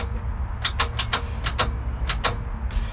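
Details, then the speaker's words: 1996 Mercruiser 4.3 L V6 in an abandoned Wellcraft boat, unrun for 18 years: short groups of sharp starter clacks trying to engage, no cranking follows; engine still seized, starter cannot turn it, before penetrating oil in cylinders. "i don't know what i did but you can hear the starter trying to engage now so that's a good thing"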